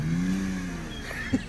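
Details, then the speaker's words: BMW 525i drift project car, first test run. The engine note holds steady then settles, with a few quick blips. Runs smoothly with no knocks or misses. A healthy engine. "listen to that engine purr sounds like a dream"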